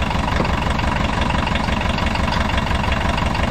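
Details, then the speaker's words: 1980s VW Rabbit diesel pickup, abandoned for years, first start gravity-fed with no fuel pressure and little coolant: rough idle with a steady low knock about three per second; rod knock or piston slap suspected. "i definitely hear like a rod knock or a piston slap or"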